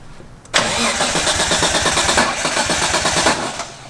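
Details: Nissan R33 Skyline GTS-T on its first startup with a newly installed Link G4X plug-in ECU running the base map: the engine catches with a rough, uneven stumble for about three seconds, then dies because the ignition timing is out.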